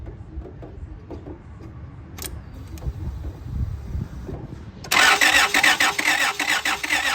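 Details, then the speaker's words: 2003 Honda Odyssey after timing belt replacement cranks evenly with no catch; spark tester shows no spark despite fuel, air, compression and correct timing. Crank, no start. "so I'm gonna turn it over and you're gonna see there's no spark"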